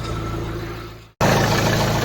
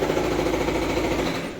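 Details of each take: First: Volvo V40 after repair of abnormal noise from the auxiliary belt vibration damper pulley, restarted to confirm: engine fires and settles into smooth steady idle with no rattle over the hum; earlier noise gone. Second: Volvo V40 4-cylinder engine at idle: fast, hard "kadakada" rattle that stops at shutdown, caused by a failed crankshaft vibration damper pulley whose inner arm milling has worn away; rare complaint.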